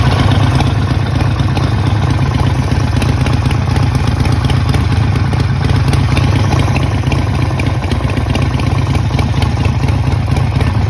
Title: Is this rod knock? #harleydavidson #sportster #vtwin #troubleshooting #engine #motorcycle